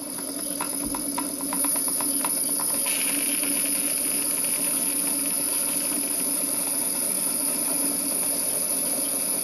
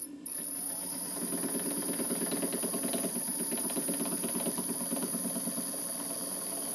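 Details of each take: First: Small rebuilt model steam engine on its first live steam test, drain cocks not essential: initial knocking is the piston hitting water at each end of the stroke, then it hums and hisses steadily, running smoothly and normally. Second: Newly rebuilt model steam plant on its first live steam test, engine cold: rapid, even knocking about three times a second over steam hiss, the piston hitting condensed water at each end of the stroke; drain cocks not essential, and the knocking soon stops.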